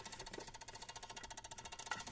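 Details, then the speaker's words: Peugeot 107 / Citroen C1 / Toyota Aygo electric power steering unit, fault code C1554, ignition off, after the unit was knocked with a ratchet: fast even buzzing rattle, about fifteen pulses a second, from the chattering, faulty Omron G8QE-1A power relay with burnt contacts. "Если что-то дребезжит, значит, оно неисправно."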